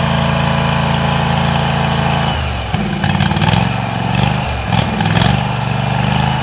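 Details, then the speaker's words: Garden tractor with a 16 hp Briggs Vanguard engine on a cold start: catches and settles into a smooth, even idle, holding steady through a small throttle change, "like butter". Normal cold start and idle. "So let's fire it up. We hear it run. This is a 16 horse Briggs Vanguard. Like butter."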